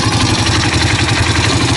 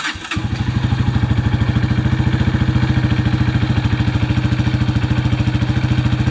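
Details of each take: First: 2005 Honda CRF230F single-cylinder dirt bike idling after carburetor cleaning: loose metallic clatter over the thumping beat, heard from the clutch side and checked while pulling the clutch; suspected clutch chatter, a pretty good amount. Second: 2005 Honda CRF230F after carburetor cleaning and battery charging, previously non-starting: engine catches right away and settles into a steady, even thumping idle; clutch chatter noted earlier; normal start and idle.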